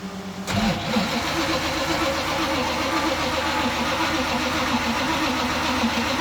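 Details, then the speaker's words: Restart of 3rd Gen IROC Z28 Camaro blown 383 stroker after cam and lifter replacement and break-in; sluggish labored slow uneven cranking without catching; suspected weak battery and loose terminals, one missing its bolt. "we're having a little issues sometimes when you go to fire it back up. It's just dragging real bad. So we think the battery's kind of weak and the terminals were loose."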